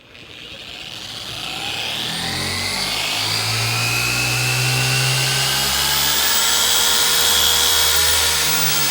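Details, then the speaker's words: Maxshine M15Pro polisher cranked to speed 6 on a light contour of a car panel: high whir climbs, then pitch sags and wavers under pad pressure; it is struggling and bogging under load. "How it's struggling. You see how it's struggling?"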